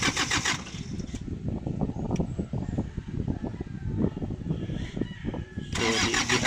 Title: Hard Start Isuzu ELF